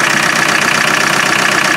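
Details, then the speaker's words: Land Rover 300Tdi diesel running with breather off: rough fast even idle with pulsing chuff from the open breather, fumes pouring out and oil spewing; heavy crankcase blow-by, engine worn. "Look at it, look how it's breathing. Look at the fumes coming off there. It's like a steam train, look."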